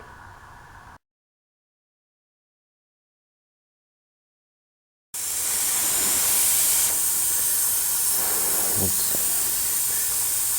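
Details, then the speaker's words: Tire with slow leak found via soapy water, small pin in tread: steady thin high hiss of escaping air after a short quiet gap; puncture air leak. "just so you can see air is really blowing right now okay i don't know if you can hear that"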